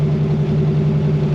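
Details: Fox body Mustang (Dirty Coupe) with Holley carburetor and no choke, cold start, 15W-40 oil, foot barely on accelerator to keep it running without revving: steady, even low rumble, no knocks or misses; normal cold idle with good oil pressure and charging.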